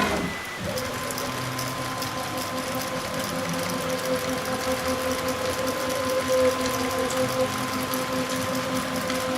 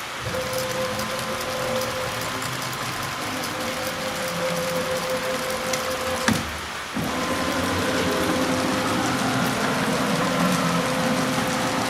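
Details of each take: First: Onefinity Gen 2 Journeyman CNC machine: a steady thin whine over a busy chatter as the axis travels. Bearing noise is suspected; the source is not confirmed. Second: Onefinity Gen 2 Journeyman CNC gantry jogging at Fast speed, squared and oiled per maintenance guide: steady mid-pitched stepper hum, light ball screw ting, brief pauses between moves; smooth and even, owner calls it 100% acceptable, normal axis motion.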